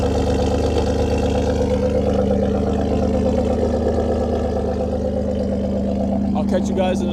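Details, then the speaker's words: 2015 Ford Taurus Limited, tuned, awaiting repair after timing failure destroyed original engine; cold start, engine not warm; steady even idle with deep loud exhaust burble, no knocks or misses; normal cold idle. "let me give you guys another cold start. I mean, no, I know the the temperature of the car went down. Engine's little bit, not a little bit cold, but just uh it's not warm."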